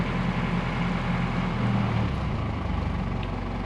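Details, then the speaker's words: 1986 Toyota FJ60, warmed up: a steady, even low rumble with no knocks or misses; it idles fine now, though the idle right after first starting has an unresolved problem. "all right, so now we're a little warmed up and it's idling fine now. You can hear that nice rumble."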